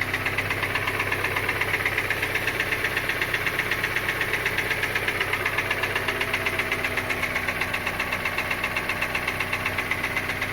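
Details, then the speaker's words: Kia Sportage 2.0 petrol, G4KD engine, 160,000 km, before repair: idling with a steady hollow knock about four times a second from piston slap, a known weakness of this engine. "Итак пробег у этого автомобиля 160 тысяч вот такой звук издает мотор"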